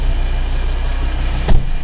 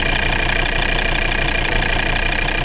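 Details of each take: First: Volvo V70 2.4D P3 diesel idling smoothly, steady even low rumble with no misfire or stumble; car otherwise has intermittent misfire and shaking blamed on faulty injector wiring loom. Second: Volvo V70 2.4D P3 diesel idling roughly with an uneven lumpy beat and shaking, misfire from a faulty injector wiring loom; wiggling the cable restored firing, no injector codes found.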